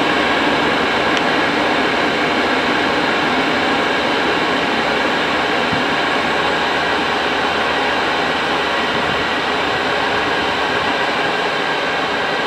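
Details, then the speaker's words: Cheap Chinese diesel night heater from eBay, running after defective fuel filter replaced, at full capacity before cool-down; steady fan and burner roar with smooth hiss, no surging or popping: normal running at full output. "so you can hear the entire build up and see when it's working at full capacity it does take a few minutes to go"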